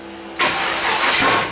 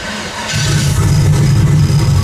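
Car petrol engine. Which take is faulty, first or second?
first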